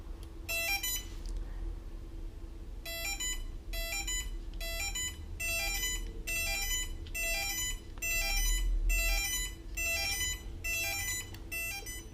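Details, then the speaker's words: Miami Electric Boards handheld remote receiver with ESCs connected wrongly: repeating short high beeps about every three-quarters of a second from the motors/ESCs, no drive; fixed by flipping both connectors. "So, nothing was happening there. The controllers were just beeping. Sorry, the motors were just beeping."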